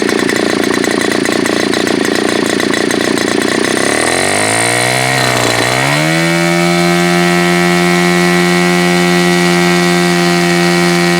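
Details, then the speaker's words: Super Tigre G4500 glow engine, hand started, first run on a stand: rough, burbly note cleans up through a quick climb into a steady, clear high buzz; runs well once throttle is increased slowly, last portion of run really good. "So this seems to be one of those engines where you kind of need to slowly increase the throttle, and the last portion of this run was really good, I thought, for what it is."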